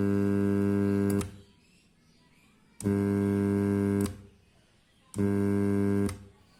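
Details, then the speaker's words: Joss karaoke active speaker, faulty: loud buzzy mains hum in three bursts of about a second with no audio output; owner suspects something burnt. "Hai Nah suaranya seperti itu langsung berdengung jadi ini positif rusak Mungkin ada yang terbakar ini"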